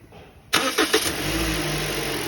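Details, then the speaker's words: Toyota Voxy engine after replacing the noisy alternator (worn variable pulley) and battery, battery light previously on: brief crank, quick catch, smooth steady idle with no squeal or rattle; noise gone, healthy start. "ó reloginhos já trocou alternador novo bateria nova também aí ó zou acabou o problema Acabou o barulho funcionando"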